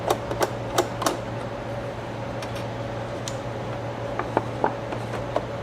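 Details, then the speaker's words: Reflecta Diamator AF type 1002 autofocus slide projector: uneven mechanical clicks and clacks, a few per second, over a steady motor hum; the slide changer is stuck out and the slide-push piece is snagging somewhere in its travel, exact cause not yet found. "So, this piece here is getting snagged somewhere in its travel. Cuz this piece is supposed to go to push the slides out."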